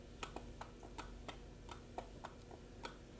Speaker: feels like something is loose in there. And I've heard reports of this, that it's the IBIS.